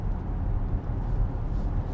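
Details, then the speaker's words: 4th-gen Acura MDX after dealership transmission replacement (original failed at 40,000 km), cruising on highway at about 80 km/h: steady low road and engine rumble, no whine or howl, transmission sounds healthy. "80 is nothing. As you guys can hear, I'm not hearing anything."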